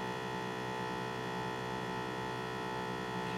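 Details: M2X Series DTG printer ink filling: ink pressure pump drones steadily without cycling off because an ink bottle is left open, an air leak preventing pressure build-up; pump runs continuously until it trips.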